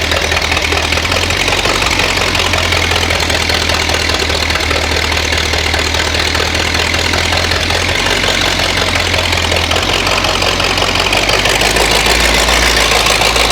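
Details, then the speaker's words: Flathead V8 (truck) on homemade engine run stand, first run hot, carburetor unrestored: loud uneven idle with ragged lumpy beat and some cylinders firing weakly, cylinders slowly coming back to life over heat cycles; rough running, cause not confirmed. "I basically want to run this thing through a couple more heat cycles cuz you can heard it hear it starting to come back to life. It's slowly the cylinders are slowly coming there."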